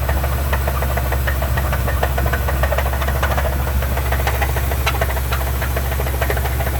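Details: Truck at idle: a deep, steady idle with a dull knock about three times a second; owner believes it is rod knock and that something broke in the motor, not confirmed.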